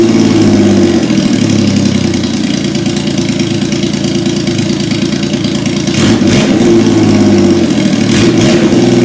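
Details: 1977 Yamaha XS750, first start in 30 years, rebuilt carbs, velocity stacks, new oil, filter, plugs, resistors and throttle cable, auxiliary fuel tank: steady, even running with two quick throttle blips rising and falling cleanly; sounds healthy.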